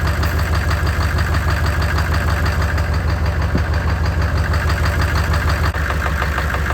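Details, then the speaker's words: 6.5L Chevy diesel that had a knocking/popping sound, after replacing a bent pushrod at the second valve from the back. Even, steady idle clatter of about three beats a second with no knock or pop. Running healthy. "so there you have it I guess it was the push route after all I got a new one put in there"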